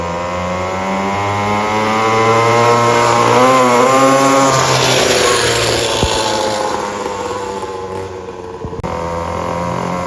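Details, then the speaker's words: Temu 50cc dirt bike fitted with a built high-compression motor in place of the blown stock 49cc motor: a crisp, even rev that climbs sharply and falls back without stumbles or rattles, with much more power than stock. Normal running. "It's got so much more power. That red one is crazy."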